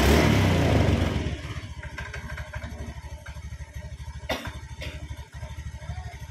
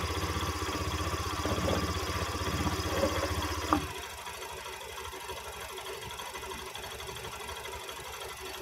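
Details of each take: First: Honda Beat ESP scooter after battery recharge and refitting, starter had been making a krok sound with pinion touching: loud burst of revs then a steady, even idle putter with regular firing pulses; normal start and idle. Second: Honda Beat eSP scooter: heavy, rough knocking while the starter labours for nearly four seconds, then quits; CVT found with nothing broken, mechanic suspects a broken starter part hitting the pinion, sound also suggests a tired battery; unconfirmed.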